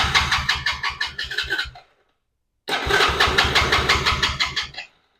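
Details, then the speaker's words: 110cc Chinese ATV with an intermittent spark fault, which has fuel in the carburetor, spark and battery power, compression unchecked: two bursts of steady starter cranking, about three turns a second, throttle pressed, no firing. It cranks but won't start, so the owner will adjust the idle screw next. "Looks like I'm not getting anything. So, I'm not going to keep doing that because obviously it's not starting. Something's wrong."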